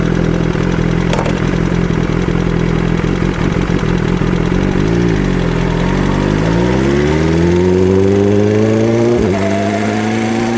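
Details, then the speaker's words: BMW S1000RR engine revving up and settling, with a light ticking under the rising note. The dealer found a worn camshaft leaving a rocker-arm gap, and a cam replacement from Germany is awaited. "ロッカーアームと、カムシャフトの間にはい。隙間ができて、はい。カタカタカタカタ音が鳴ってるみたいなんです。"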